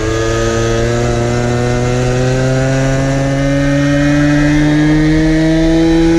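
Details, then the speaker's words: 1970s ARCO 3533 vintage mini bike, small unmuffled two-stroke at very high revs, about 10,000 rpm, while doing only about five mph: a loud, raw scream slowly climbing in pitch as it over-revs, with heavy vibration. "on top of that you're doing five mile an hour at 10 000 rpm and"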